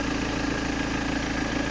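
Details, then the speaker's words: 2007 BMW 320d M Sport auto diesel, 182,000 miles, idle after fitting a disconnected air intake part: steady loud clatter with faint whistle, not quieter; loud idle cause not pinned down. "let's uh turn this on it's not any quieter I don't think so obviously these aren't airtight"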